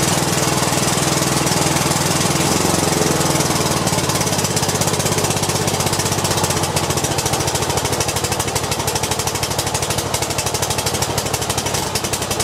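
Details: Cub Cadet i1050 zero turn with new push rods and fresh ethanol-treated gas: the small engine chugs steadily with a rapid putter. Owner says it sounds a little rough and blames old bad gas left in the tank.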